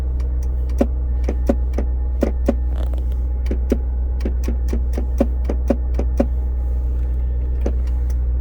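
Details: 2002 Land Rover Discovery S2 SE at morning cold start: irregular sharp clicks, about two a second, seemingly from the under-dash fuse box, fading after a few minutes. Louder when the shift lock engages with the brake pressed, and the shifter lights blink in sync; relay chatter suspected.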